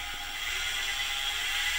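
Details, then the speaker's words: PM-25MV milling machine with 3D-printed bushing making spindle and drive pulley one piece, at full 2500 rpm: smooth, steady high-pitched whir, no knocking or rattle; very quiet. "it makes the spindle and the drive pulley one-piece but you can see it's really quiet makes no noise turn it off"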